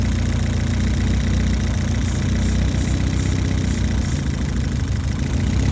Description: 1. Minor Hunting idle when hot